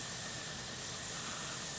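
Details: Stovetop-style pressure canner on outside burner, six seasons old, canning soaked pinto beans: steady, even hiss of steam escaping the vent with no sputter or surging; normal venting before the weight goes on.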